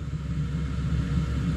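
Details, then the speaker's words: Truck bunk heater running after the blower motor was replaced: the burner is lit and blowing hot air, with a smooth even rumble and blower hum, no rattles or surging; sounds much healthier than before. "And it's sounding a lot healthier than before."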